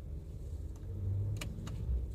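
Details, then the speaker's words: Toyota Vios 2nd gen after tightening and fixing the dead ignition coil: smooth, low, even idle rumble at about 700 rpm, steady with aircon and blower fan on, no stumbles or shaking; engine idles healthy. "ito tetestingin natin maganda naman yung kanyang RPM nasa 700 yung RPM niya"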